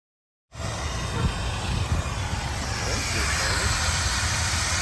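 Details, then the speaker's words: 1976 Chevy or 1964 Chrysler, parked for decades, on a hot-day Tucson-to-Kansas City road trip. Heard on pulling up: engine rumbling at idle with a steady hiss as coolant boils and vents from overheating. "It is awful hot today. When I pulled up, I could hear it hissing."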